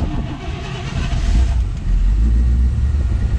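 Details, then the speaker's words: 1957 Chevrolet 210, frame-off restored, 283 V8 with fuel injection, about 16,000 miles since build, cold start: catches immediately, settles into deep steady rumble; normal cold start, needs to warm up. "Vehicle starts right up. Gotta warm up a little bit here."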